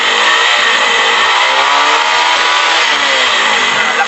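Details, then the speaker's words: Kawasaki Rouser 135 single-cylinder that stalled suddenly: after joining the two ignition coil supply wires at the CDI, revs cleanly and climbs smoothly with no cutting out or misfire; coil replacement avoided. "ba wala ng putol oh so ganon lang ganon lang diskarte doon para hindi kayo magpapalit ng ignition quil"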